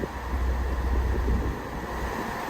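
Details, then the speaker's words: 2005–2010 Pontiac G5 after replacing the blower motor resistor with a genuine GM part: even, rushing heater fan airflow on a middle setting with no squeal, grind or rattle; all speeds working again. "And it should work exactly the way that it came from the factory, where we have low, medium, and high speeds."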